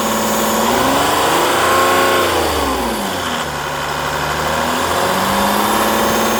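Diesel revs up and settles with a steady tone and a faint regular clatter over the run; something is off, cause not identifiable.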